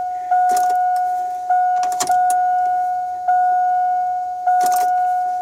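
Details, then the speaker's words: 2000 Chevrolet Silverado 1500 Z71 after fuel pump assembly replacement, key on engine off priming a drained system: quiet, smooth mid-pitched hum in short even cycles about a second apart. "Let's prime it a couple more times. I can hear it. It is a lot quieter."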